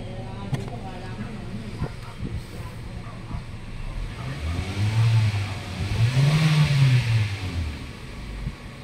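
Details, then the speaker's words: Kia Rio with crankshaft sensor fault code not returned, diagnostic scanner unplugged; low soft engine hum swelling smoothly under light revs, no knocks or ticks, engine very quiet: normal running. "Ayos. Ayos, sir. Tahimik na tahimik yung makina eh."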